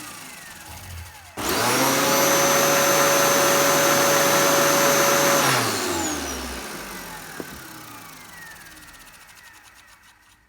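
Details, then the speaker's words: Dyson DC07 upright vacuum after cleaning, switched on: the motor kicks in with a steady, even whine and smooth airflow, holds speed cleanly, then spins down freely, sounding much better than before. "that sounds so much better than it did before"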